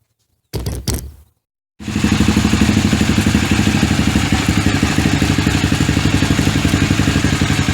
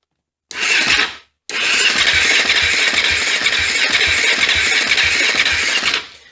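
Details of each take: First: KTM 450 dirt bike, first start in 10 years, after adding petrol: a few short starter bursts, a pause, then it fires and settles into a steady, even single-cylinder idle at about four beats a second while warming up, before dying later. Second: KTM 450 dirt bike not run for over 10 years, first start attempt: fast starter whir with regular compression thumps for about five seconds, never catches; compression present but no spark.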